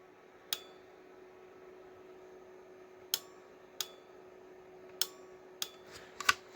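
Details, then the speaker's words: Chevy LB7 Duramax with NV4500 swap wired on the bench with EFI Live, key-on and start signal jumpered; faint hum broken by sharp separate clicks as the start relay pulls in normally. "And you come down here and this is my start. So, take it and you can hear the start relay come on."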